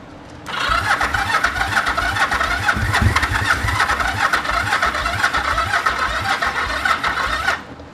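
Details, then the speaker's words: 1974 Yamaha TX500 twin after 20+ years stored, on choke: a steady starter churn with low, even pulsing for about seven seconds as it starts pulling fuel, never catching. Spark present; it ran shortly after, and the carbs and a hung-up valve need work. "Come on. It's trying. It's starting to pull fuel."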